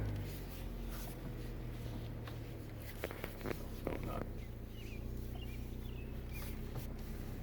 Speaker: Hear that clunking and clicking? That's it. Do it one more time. You accelerate while you're turning.